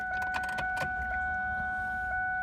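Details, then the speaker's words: Car that cranks too long before starting, ignition already checked, fuel pump suspected weak: electric pump hum on key-on priming with the engine off, pressure unable to reach 30 psi. Low fuel pressure. "I don't get a lot of pressure I have a problem and the engine doesn't start the fast it cranks for longer time"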